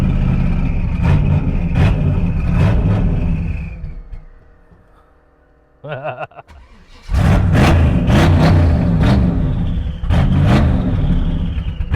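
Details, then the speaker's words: Twin-turbo small-block V8 GTO, started in damp weather: blipped repeatedly, then revs sag and nearly die before catching again. It won't hold idle because the carburetor is poorly adjusted. "The carburetor's poorly adjusted on it. It doesn't idle great, but that just tells me that this thing is meant to be, living wide open."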